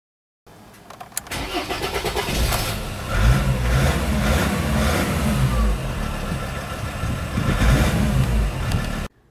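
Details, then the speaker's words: Diesel car with hot no-start problem, after replacing the fuel pressure sensor: brief crank then clean hot start into steady diesel clatter at idle; owner hopes the sensor was the cause. "Écoutez, après avoir changé le capteur de pression de carburant, la voiture démarre déjà à chaud et j'ai vraiment envie d'espérer que c'est la cause de la panne."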